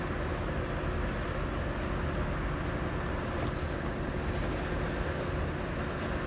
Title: Lexus is250 cylinder #misfiring $burnt valve.